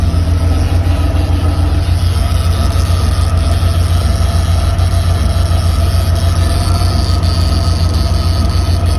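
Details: Mercedes W124 300E-24: loud steady low drone with a fast, rough pulsing throughout from a failed fuel pump, confirmed with a KE-Jetronic upper chamber pressure check.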